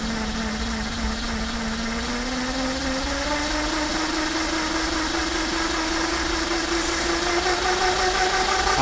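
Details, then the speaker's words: Lightning Rod Big Block mid-drive electric bike kit, run at about 100 watts with a lot of chain reduction; a clean whine climbs smoothly in pitch with no grinding or clicking, so the motor spins freely. "Watts so yeah she spins pretty fast at 100 Watts I can't imagine this with three thousand three thousand Watts oh my God"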